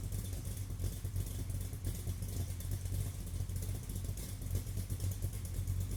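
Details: Car exhaust after a vacuum leak was fixed, recorded by a camera on a tripod about 40 feet behind the car: steady, smooth exhaust drone running evenly without stumbles; normal engine running.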